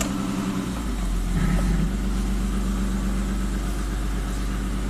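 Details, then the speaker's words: 1998 Mitsubishi Montero Sport after new timing components installed (loose timing belt had let timing jump): catches quickly, revs briefly, settles into smooth steady idle, no slapping or ticking from the front; power steering disconnected. "Very nice startup. Remember, no power steering right now. Definitely more power."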